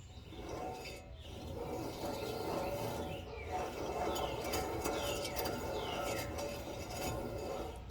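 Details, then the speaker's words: 2005 Ram 1500 2WD front non-ABS wheel spun by hand without moving the control arm or spindle; repeating chirps and scrapes about four per second; worn front hub bearing. "all right y'all so we have definitely come to the conclusion that it's the bearings in the hood see if you all can hear it"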